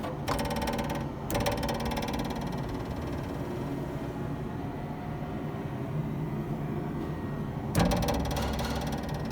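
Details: Nissan Altima/Sentra driving over light bumps: bursts of fast metallic rattling from the rear over steady road rumble. A loose trunk lid torsion bar is out of its clip; the fix is to flip and clip it, or tape the bars.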